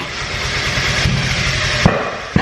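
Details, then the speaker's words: Turbo Miata on startup: engine catches rough, then two sharp bangs about half a second apart over uneven idle; popping and backfiring, owner suspects ECU doesn't know number one cylinder position for cranking timing. "fires immediately so that is telling me that the engine doesn't know where number one cylinder is at any given time and you have to shut it off and turn it back on to let the engine realize or to get it back into a happier spot of the revolution"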